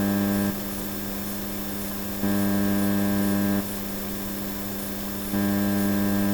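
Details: Onkyo TX-SR806 receiver on the bench: steady low buzzy mains hum on the output that drops for a few seconds when changing input, as when muting, then returns; noise suspected to originate before the amplifier board.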